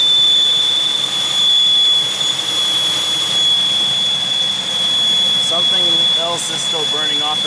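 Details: 2001 Pontiac Aztek just revived after sitting since February, coolant freshly bled: piercing steady high whistle over quiet idle, one pitch throughout; misfire still reported, source not pinned down.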